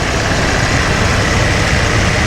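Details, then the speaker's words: First-gen Dodge Ram 350 crew cab V8 idling with the A/C on; smooth, even low rumble with A/C hiss in the background, so the engine sounds healthy and quiet. "so let's see if it'll fire up there we go listen to that purr"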